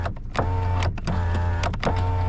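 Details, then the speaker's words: 2010 Hyundai Elantra at state inspection, window inoperative: window motor hums in short repeated bursts with no glass travel; motor works but the window regulator has failed. "So the motor is working, but the regulator is not working. It's not pulling the window up and down."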